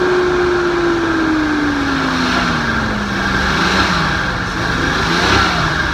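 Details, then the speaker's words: Nissan 280ZX turbo project drag car on first start-up after sitting, running on old gas that smells like turpentine: loud, rough, lumpy beat stumbling as revs fall; definitely missing on a cylinder, cause not confirmed. "Sounds better. It's definitely missing."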